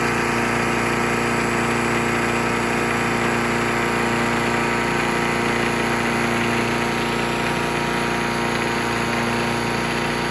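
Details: Troy-Bilt chipper/shredder with a small engine, revived from non-running after a carburetor rebuild, chipping branches. A steady, even engine drone holds speed under the rough chatter of feeding branches. It ran strong through half a tank, though the blades likely need changing.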